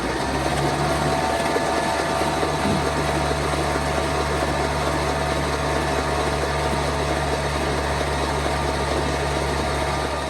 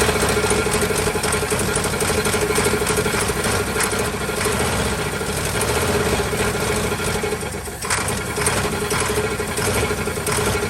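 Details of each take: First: 1949 Ford truck with a swapped-in 312 Thunderbird V8, sitting about 45 years. After freeing a rust-jammed cylinder 1, the starter spins it at a steady pace with no binding. The engine cranks freely. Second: 1949 Ford truck, Thunderbird 312 V8, sat about 45 years, cold: lumpy uneven idle with steady whine; won't run on gasoline, carburetor apparently not plugged, owner suspects low compression.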